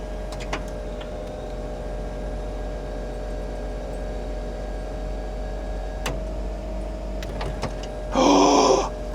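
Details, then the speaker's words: 1995 Mercedes-Benz E320 Cabriolet (W124) convertible top hydraulic pump, with suspected leaking cylinders: a few light clicks, then a short, strong electric buzz as the top piston rises; normal pump operation. "Hopefully this piston will go all the way up. You'll hear a loud click and it'll bring it down, okay?"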